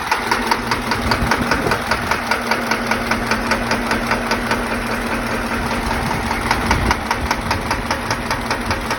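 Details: Diesel engine at idle with a sharp metallic knock about two and a half times a second; a faulty injector is to blame for the knock.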